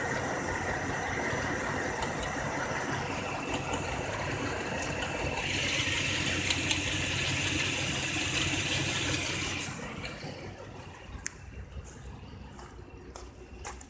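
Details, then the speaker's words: 2004 Cadillac CTS 3.6L at 213k miles, injector, coil and plugs replaced, no vacuum leak found: rough, shaky idle with uneven pulse, AC on, whole car shaking; misfire, mostly cylinder 1, worse on hot days. "I'm not really hearing any change in the engine you could just look I must stop trying to move the engine is shaking pretty bad"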